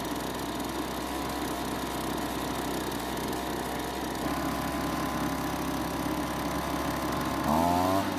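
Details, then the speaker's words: Kawasaki-branded two-stroke leaf blower at spring start-up, after manually priming the carburetor: a steady, even buzz at constant speed, then a brief climb; it stays running, the carburetor likely having cleared itself. "so the good news is that it stayed running more than likely the carb has cleared itself out"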